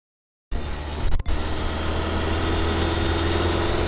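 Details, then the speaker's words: Opel Corsa 1.4 petrol, parked about 2 months, fully discharged battery, around -1 °C, started with a LiPo jump starter; catches instantly into a steady even idle, alternator charging at 15.2 V, healthy. "We see, the car started. The generator is working. The battery is charged with 15.2 volts."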